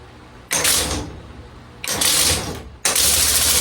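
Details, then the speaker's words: Compressed air engine prototype with air set at about 250, turning over but not running on its own: loud harsh uneven air blasts under a second long, roughly one per second; sounds like it wants to run, cause not confirmed. "Sounds like it wants to run."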